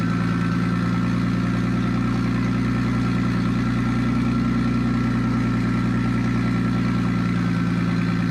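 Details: Nissan Stagea RB25DET, first start after a new turbo install with custom braided AN oil and water lines, no dump pipe fitted and the airflow meter unplugged: a loud, steady, deep idle with a slight lope and no knocks or rattles.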